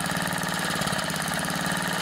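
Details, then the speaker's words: Tecumseh 3.5 hp horizontal engine on Craftsman edger, sat for years, with new cheap aftermarket float carburetor and Champion RJ19LM plug, run as slow as possible to set slow-speed screw; slow even firing, no misses or surging; normal slow idle. "you want to get the engine running as slow as possible to adjust the slow speed"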